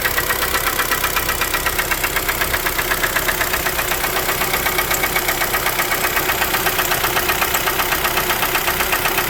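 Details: 2012 Kia Forte 2.0L at idle, knock started around 166,000 km: even crisp knock about four per second, never missing a beat, from inside the engine; suspected piston slap, replacement engine planned.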